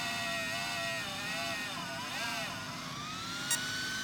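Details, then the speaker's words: Traxxas XO-1 RC car (two batteries) after start-up: high, thin fan whine rising slowly over a soft hum; the fan sounds weak but this is normal, signalling completed system checks including the motor. "Now, you may think, oh, well, what's that? That does not sound good. Actually, it does that audible fan noise to let you know when it's done doing all of its system checks."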